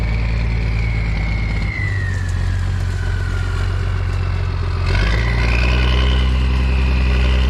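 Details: M35A2 military diesel truck, started right up after sitting long (a disconnected wire found): steady low idle, smooth rise as it revs and settles, no knocks or rattles; runs really good and clean; normal idle and revving.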